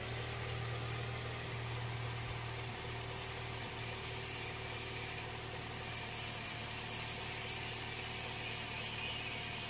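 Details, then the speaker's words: Toyota Innova engine after repair for shaking and low power, now idling evenly with a steady low hum, no vibration or knock; engine running smoothly. "Tidak ada lagi getaran. Yah, sekarang sudah tenang."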